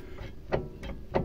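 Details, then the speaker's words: Volga 3110 with kingpin front suspension: short creaky squeaks about three a second as the steering tie rod joint, which has play and knocks, is twisted by hand; suspected tie rod end squeak. "скрип идет отсюда снимаешь тягу разбираешь"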